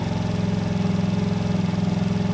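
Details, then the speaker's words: TaoTao GY6 50cc Chinese scooter after fitting a performance carburetor and pod air filter in place of the airbox: quick, steady single-cylinder idle with even pulses, no misses; fired right up, starting better than before; sounds healthy. "I mean it sounds healthy [Music] it's idling I mean it seems like it started better than it did before it kind of just fired right up"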